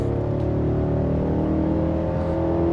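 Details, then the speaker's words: Refreshed Cadillac Escalade Platinum, naturally aspirated V8, in sport mode; deep, smooth pull with pitch climbing under hard throttle, no knocks or misses; healthy V8 acceleration. "But, you know, you heard that, right? Sounds good. Makes good V8 noises."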